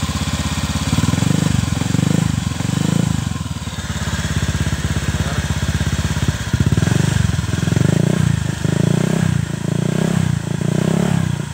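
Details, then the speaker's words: Honda Vario 125 (old model) CLD exhaust after repacking with 3 sheets of new glasswool: deep, even burble rising and falling with throttle blips; normal exhaust note. "Kita langsung tes suaranya ya. Akan sedikit berubah. Ya, setidaknya sedikit berubah lah ya."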